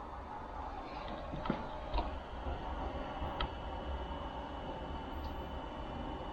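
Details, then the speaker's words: 5 kW all-in-one 12 V diesel heater on pump diesel, on test, after glow plug phase at low fan speed: steady low roar with faint clicks and ticks as the burner catches and runs evenly, warm air starting; normal burner operation. "that's a better noise [Music] [Music] so there's warmth now coming out of here even though you can't feel it yet"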